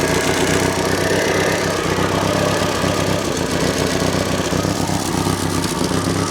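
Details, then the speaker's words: Classic Renault R16 after low-oil-pressure bottom-end knock repair and properly primed oil pump, first start, mic near engine: steady, even idle, no misses or knocks, some exhaust-blow puffing; normal idle. "that sounds so good it sounds absolutely sweet"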